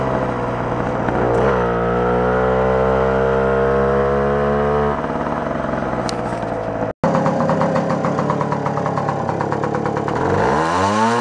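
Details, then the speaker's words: Puch Maxi barn-find moped, stored for 22 years, during test and tune: two-stroke revs smoothly, then turns raspy and four-strokes at higher RPM because it runs too rich on the high side. "so it's running pretty good except for it's kind of four stroking a little bit on the higher RPMs you can kind of hear it where it's you know it's running smooth and then it gets that that raspy kind of sound to it"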